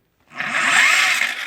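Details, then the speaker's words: Quadrunner 250 ATV with 5-speed, project build; recoil starter cord pulled at the rear. Harsh scraping grind the whole pull; owner suspects stator reassembled wrong with starter still engaged or one-way clutch backwards. "they either put it in wrong and somehow got the starter screwed up and the one-way clutch backwards, because when you pull on the cord back here, it doesn't sound too happy."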